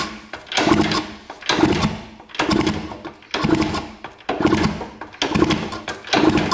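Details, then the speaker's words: 1971 Yamaha JT1 mini enduro, sat 30 years in a basement: seven kicks turn it over with decent compression but it never fires; zero spark, plug to be swapped next. "not getting anything see if we press the kill switch looks like it has decent compression and I have the spark plug in so hopefully we've got enough to start it up if we can get spark so that there is zero spark"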